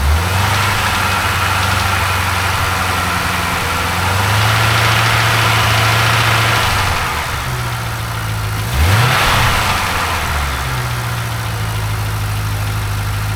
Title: LS7 Ticking Sound